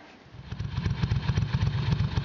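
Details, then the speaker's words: 1992 Ducati 750SS V-twin (25 years old), running after two new spark plugs replaced a fouled, soaking-wet plug that caused spitting from one cylinder; steady, even beat, crisp regular exhaust pulse, no misfire, both cylinders firing cleanly: normal running. "okay two new flags and that's what it sounds like uh running really well which i expected"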